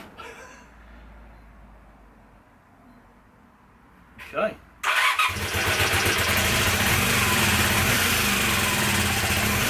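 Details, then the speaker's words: Honda CB250N twin, stone cold on choke, after backing right carb idle screw out two and a half turns via float bowl: catches around five seconds into steady even idle with both exhausts running; idle circuit fixed. "that was a good start that's running both exhaust are"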